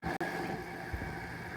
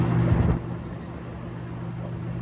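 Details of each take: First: RV air conditioner fan motor with dry bearings: steady whirring drone with a thin, dry whine on top; the motor is being replaced with a matching motor and capacitor. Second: RV rooftop AC fan motor after replacing a motor with dry bearings with an identical one: steady low smooth hum, no grinding or squeal, normal operation.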